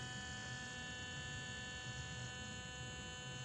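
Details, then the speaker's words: Camper trailer electric brake magnet, mic placed by the wheel, energized after a dirty ground was found; brake not engaging the drum, adjustment needed; steady low electrical hum with a fine buzz, magnets receiving power. "know if you can hear that or not but it's definitely humming so the magnets are getting power"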